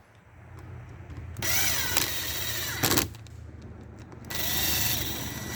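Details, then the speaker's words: Ryobi P516 reciprocating saw, functionality test during reassembly after housing replacement and bearing reseat: two short trigger pulls give clean even buzzing that winds up and stops smoothly, no knocking or grinding: normal run. "I always like to do a little functionality test before I completely put everything back together yep sounds good"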